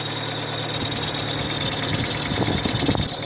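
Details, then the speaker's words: Idling car with steady high hissy chirp about three pulses per second from the alternator belt; new belt fitted but noise persisted, traced to misaligned alternator and tensioner pulleys. "essa Correia ela tá nova Mas continuou com o barulho então não provavelmente não vai estar na Correia"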